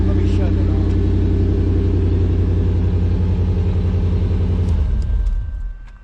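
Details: 1988 truck running on a gas tank taken from a truck that sat over a year, some stale gas left causing smoke: steady low rumble with even beat at idle, then fades; running smoothly.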